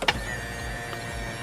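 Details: 1998 Lexus SC400 steering column telescope test: short, smooth electric motor hum with no grinding or clicking as the wheel moves in and out normally; tilt function not working.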